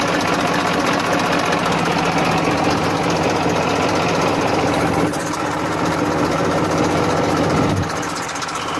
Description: This my 94 model Massey Ferguson 1035 DI. Take an overview on the engine humming sound.